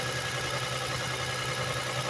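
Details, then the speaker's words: 1999 Toyota Sienna minivan, over 200,000 miles, idling about two minutes after start while warming, after misfire repair: light fast top-end ticking over steady idle; valve lash ticking, expected to fade as it warms. "so as you can hear there's a little bit of uh clicking going on but as warm up you will see it go away"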